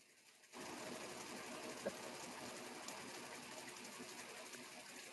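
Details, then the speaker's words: LG washer heating water during cycle: soft steady whirring hum of the circulation pump running turbo wash jets slowly; normal recirculation. "So, it's recirculating minutes."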